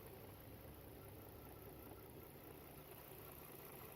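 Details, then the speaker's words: 2011 Volvo XC60 3.2 petrol idling unevenly with a lumpy beat; codes P0302/P0304 misfire, P2096 lean, P0455 gross leak; disconnecting cylinder 4 coil causes no change. "So on number 4, if you disconnect it again, there is no change on the engine."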